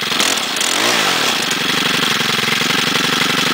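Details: 2011 STIHL FS90R 28 cc four-stroke trimmer, primed because it didn't start first pull as usual, revs up briefly then settles into a fast, even, buzzy run with no misses or stumbles; healthy.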